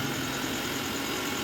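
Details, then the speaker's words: Mixer grinder that would not run, with the overload switch tripped, tested after fitting a new switch: steady, even high whirr with no catches or rattles; runs very well, no problem. "চলছে খুব সুন্দর চলছে, কোনো problem নেই।"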